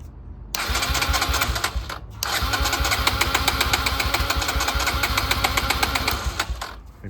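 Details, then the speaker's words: 2009 Kawasaki KLX 140 dirt bike that sat about two years, after carburetor work: repeated uneven kick-start cranking, about four strokes a second, with no firing because the spark plug cap was not connected; it fired right up once plugged in. "I forgot to plug in The Spar plug again no wonder I'm always forgetting this see now there you go that's all it was fired right [Music] up"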